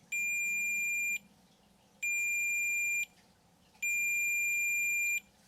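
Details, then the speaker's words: Fender-style single-coil guitar pickup, multimeter continuity test from the start lead to the pole pieces: three steady high beeps, about a second each; stripped magnet wire insulation is shorting the coil to the pole pieces, while DC resistance reads normal. "touch one probe to the start lead and touch the pole pieces with the other probe it'll beep if the magnet wire insulation is stripped and forming an electrical connection with the pole pieces"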